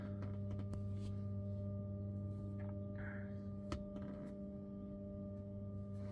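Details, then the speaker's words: Tesla Model 3 parked, during service-mode coolant air purge routine (about 10 minutes): steady low hum with a clear whining tone; coolant system purging air bubbles, the cause of the loud whining when parked. "So as you hear this winding sound that you heard, that's basically the coolant system trying to purge itself of the air bubbles."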